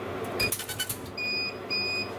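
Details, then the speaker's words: Laser engraver at 12 mm gap, two millimetres beyond the manufacturer's focal point: short sharp high chirps in a clean repeating pattern, crisp rather than soggy; normal laser pulsing at correct focus. "was even crisper and sure enough that looks pretty damn good"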